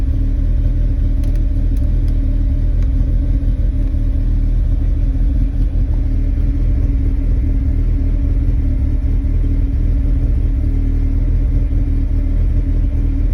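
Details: 2001 Mazda MX-5 NB, cold start: deep, uneven idle with wavering low rumble and occasional stumbles over a steady drone; rough idle, with idle droop sometimes stalling when coming to a stop.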